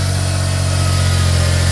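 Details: 2004 Smart ForTwo 450 700cc turbo petrol, rebuilt engine, just after replacing the cracked exhaust/catalytic converter; cold start, idling high because cold; deep, even exhaust note, no whistle or rattle, sounds better, healthy.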